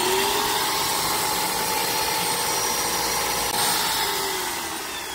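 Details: Graco Magnum Project Painter Plus airless sprayer on prime with water, outdoors after freeing a stuck ball: even motor hum with a steady pumping pulse and clean tone fading slightly at the end; normal priming.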